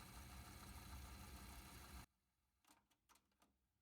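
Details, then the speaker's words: Technics RS-TR272 dual cassette deck after replacing the belts: even, steady motor whir for two seconds, then it stops with a few light mechanism clicks; transport spins smoothly with no slipping. "it's spinning, making good sounds."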